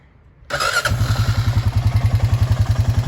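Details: Old Honda Foreman Rubicon 500 4x4 ATV, year unknown, revived after sitting for years under a porch, oil level being topped up: catches after a short crank and settles into a steady, even single-cylinder thump, no knocks or rattles; healthy idle.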